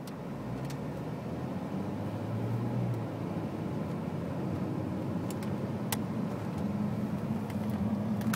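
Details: 2001 BMW 330 (E46) automatic on LPG, with new spark plugs and an upgraded vaporizer, idling roughly with fluctuating, wavering revs and stalling; it runs fine on petrol.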